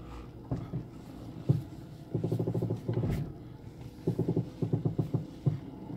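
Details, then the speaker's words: 2007 Mercedes-Benz E200 W211, steering wheel turned at a standstill: crackling, snapping from the front suspension; stabilizer bar inspected as suspected source, not confirmed. "들리시죠? 쭈두둑 하면서 부러지는 소리죠. 그게 나네요."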